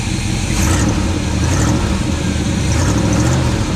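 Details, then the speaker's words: 1980 Chevy K20 4x4 V8 with freshly rebuilt QuadraJet carburetor: full V8 note with short throttle snaps picking up without stumbling or popping; the rebuilt carburetor responds cleanly. "You want to throttle snap it? See this kid first throttle snap on a V8. Just gooser, gooser."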